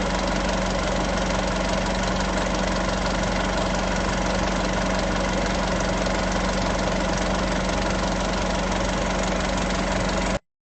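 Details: Isuzu 3.0 V-Cross 4x4 pickup, diesel, cold morning idle: steady, even clatter with a constant low hum and no misses or knocks. A healthy idle.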